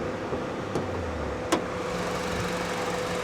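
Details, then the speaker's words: 2012 Honda Civic Coupe at auction on the hottest day of the year, front right corner damage; quiet, steady low hum with a couple of light clicks nearby, idling just fine and sounding healthy. "she's idling just fine she really really is"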